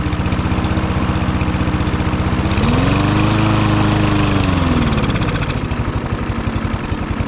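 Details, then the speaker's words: Discarded push mower (Troy-Bilt or Yard Machines) run on starting fluid while choked by hand; rough hunting note swelling and sagging; air filter slightly dirty, gas smells fine, owner suspects partially clogged carburetor. "I'm going to say that the carburetor is probably partially clogged up and I was able to choke it and get it running all right"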